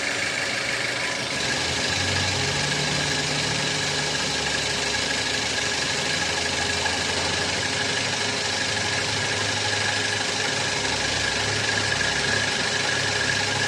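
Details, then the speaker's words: 2010 Toyota Avanza 1.3, idling, noise from the front of the engine: a coarse, uneven rattle-knock. The crankshaft pulley wobbles from a broken rubber damper and rubs the CKP sensor housing. "dari bawah mesin ini puling gimbal ya dan menyebabkan bunyi bunyi itu berasal dari sini dari puli yang makan ee perumahan dari sensor ckp ya itu kalau kita lihat puli menggesek dari Perumahan sensor ckp"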